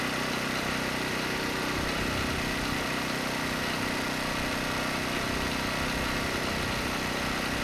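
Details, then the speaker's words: ETQ 2700 W generator, 163 cc engine, brushless powerhead, loaded 100 W over rated wattage: steady even drone holding speed, no hunting or surging; stayed near 61 Hz, 118 V, governor holding up fine. "but i just exceeded the rated wattage by 100 watts and the engine not only stayed above 58 hertz but it was closer to 61 hertz 118 volts"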